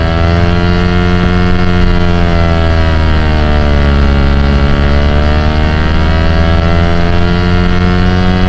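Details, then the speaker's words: While driving, AM radio on 1330 picks up a buzzy whine like a remote-control car whose pitch rises and falls with the car's speed; source of the interference unknown. "the radio like sounds like a little remote control car but it reacts to like how fast I'm going kind of sweet I guess"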